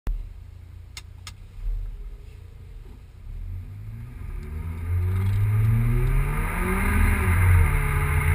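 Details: Volvo 940 with big turbo running E85: deep exhaust note with an uneven stumble about four times a second as revs build. It is misfiring for an unknown reason.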